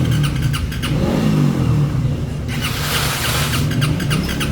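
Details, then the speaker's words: Motorcycle that won't start, after fitting a new spark plug: the starter churns steadily and the engine turns over repeatedly but never catches or fires; cranks but will not start, ignition spark then found strong, fuel injector being checked next. "Check natin kung aandar. Wala din."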